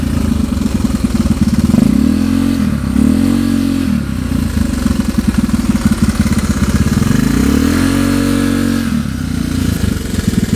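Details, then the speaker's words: Honda Vario 110 carburetor scooter with a new R-One standard-racing aftermarket exhaust; revs up and eases off twice, deep subdued exhaust, carb intake roar and engine mechanicals clearly heard, exhaust sounding quieter than before; healthy, muted exhaust note. "tapi untuk suara yang lebih terdengar itu suara raungan karbu dan juga scin jadi suara si knalpotnya itu lebih saru lah ya"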